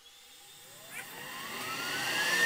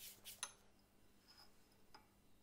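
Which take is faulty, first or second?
second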